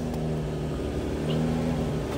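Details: Toyota Camry 3.5, previously cranked but wouldn't start, just after ECU/ECM replacement (rat-chewed sensors, check engine light expected), started cold: steady, even drone with no knocks or stumbles, idling a bit fast as it should while cold; normal fast cold idle.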